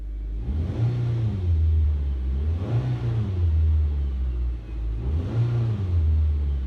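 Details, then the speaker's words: 2007 Suzuki SX4 2.0 L petrol, revved after the intermediate pipe, rear cat and muffler were replaced. Three deep, clean revs with no rattles, blowing or leaks. Healthy exhaust. "lovely and that's it guys uh it's all buttoned up um sounds good"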